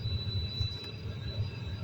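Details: Kia Rio/Hyundai Solaris heater blower. A thin steady high whistle over the blower rumble comes from air leaking around the cabin filter. Taping the filter's edges for a tight fit removed the whistle at second fan speed.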